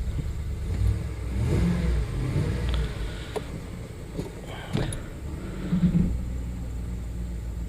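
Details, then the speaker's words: 2009–2012 Ford F-150, after fixing broken wire for primary coil D misfire (P0354); running in gear, even low hum with no stumble, misfire gone. Smooth running after repair. "i can tell since i put it in gear oh yes it's gone i took care of it yes"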